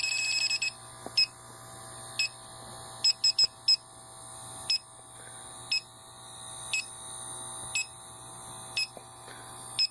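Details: Condo AC with history of refrigerant top-ups, electronic leak detector probe at the indoor evaporator coil; high beeps speed up into quick bursts just inside the coil, not at the U-tube elbows: refrigerant leak in the coil.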